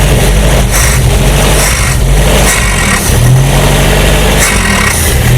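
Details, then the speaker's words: 1968 Commer 2500 van, last registered 1991 and revived in 2013, out of gear and needing heavy choke: rough lumpy idle, then it bogs and dies on quick throttle while slow acceleration runs fine; owner suspects carburettor or spark advance. "You can see it dies. If I slowly accelerate though, it still gets plenty of fuel."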